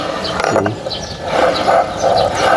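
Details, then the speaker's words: Suzuki Burgman Street CVT noisy under throttle: torque drive bearing, turned by hand under light pressure with clutch, spring and belt removed, gives rough ratchety clicking and grating; damaged bearing, to be replaced. "Ayan ah. May tama po ang kanyang turk drive bearing."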